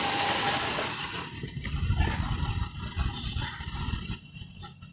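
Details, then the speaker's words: 1995 Toyota Kijang KF52, 7K 1.8 L four-cylinder, revved near tailpipe during sale inspection: steady, smooth, soft even rumble with no knocks or odd noises; oil fine, dry engine, no smoke. Healthy. "Nah kita geber saja suaranya Masih normal enggak ada suara yang aneh-aneh nah enak banget ya suara Kijang itu kalau digeber emang suaranya masih smooth gitu masih lembut"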